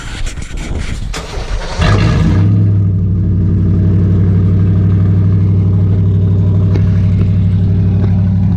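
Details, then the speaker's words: Ram truck after Cherry Bomb muffler failed, cold start with pretty much open pipe before straight-pipe welding: cranks, fires, settles into a loud, raw, throaty unmuffled idle, called rowdy, even excessive. "Sounds rowdy, very rowdy. Some would even say excessive."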